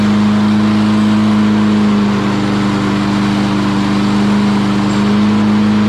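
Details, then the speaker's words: Lawn Boy mower with a Kohler engine that had cut out and died, running after its carburetor jet was cleaned of rust particles: strong, steady hum around two hundred cycles, even and unbroken for six seconds; running normally. "Okay, I think we fixed our issue."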